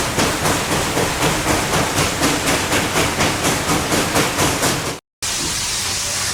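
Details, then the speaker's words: SoundTraxx-equipped model steam locomotive with dynamic exhaust at speed step 15. Crisp hissing exhaust beats about two per second in an even four-chuff-per-revolution pattern. Normal steam locomotive exhaust chuff. "So you can start to hear that 4-chuff pattern. Chuff, chuff, chuff, chuff. It's a very distinct pattern, and it is something that is very evident on steam locomotives"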